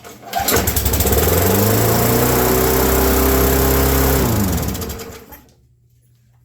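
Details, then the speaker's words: Abandoned, corroded Craftsman mower with Briggs & Stratton engine, mouse-infested, run on two-stroke fuel: fires and races to a high steady scream without settling, then dies; governor frozen, engine overspeeding. "the governor is definitely out of control most likely because it's completely Frozen"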